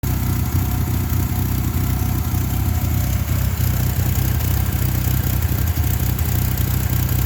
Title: 2.5 lima rough idle troubleshoot